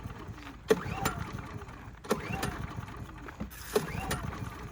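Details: Brand-new Harbor Freight Predator 3500 generator with new oil and fuel stabilizer, hard to start warm or cold: three sharp pull-start bursts about every 1.5 seconds, each fading with no firing. It cranks but won't start.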